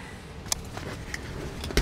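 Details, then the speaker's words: 2017 Ram 3500 four-door pickup, driver's door hinge that used to creak and squeak, after spraying 3-in-One RV slide-out silicone lube several months ago: door works with only soft clicks and latch taps, quiet hinge. "probably the silicone in it long lasting last time I sprayed the door was several months ago well I also had that open heart surgery so it hasn't been getting a lot of use but the it stops the squeak and the creaking"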